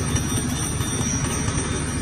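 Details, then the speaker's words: Honda Dio scooter at idle: a fast, regular metallic knock of about five per second that rings like a bell, from a cylinder sleeve loose in the block, found after days of checks including the cam chain and camshaft. "सुन्नु नै भयो होला होइन स्कुटरमा चाहिँ पुरै घन्टी बजिरहेको छ होइन र यो घन्टी बज्दा बज्दा मेरो दिमागै बजाइदियो"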